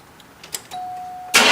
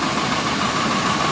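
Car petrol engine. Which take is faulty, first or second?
first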